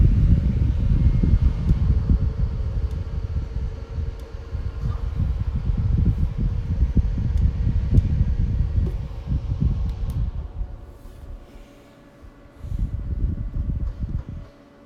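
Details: Opolar clip-on high-velocity fan, just cleaned of a very dirty blade, running on USB power: steady low airy whoosh with an even hum, no ticking or rubbing, speed holds smoothly; the fan is running normally.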